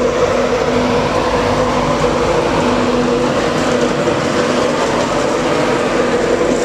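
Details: Train 225 departing Doncaster, recorded November 2011: a steady mid-pitched squeal over the rail and motor noise as it pulls away. The cause is unclear.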